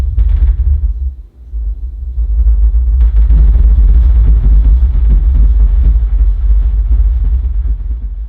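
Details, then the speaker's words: Compact subwoofer priced around $200 with an 8-inch driver, bass-reflex cabinet and 100 W class D amp, on a deep bass test tone: a buzzy rattle rides on top as level rises, blamed on poor cabinet construction and a buzzing driver in heavy bass. "did you hear the rattling sounds coming from this subwoofer during this test believe it or not the rattling noises are caused by the poor cabinet construction for this subwoofer and there's also a problem with the driver producing a loud buzzing sound during heavy Bas scenes"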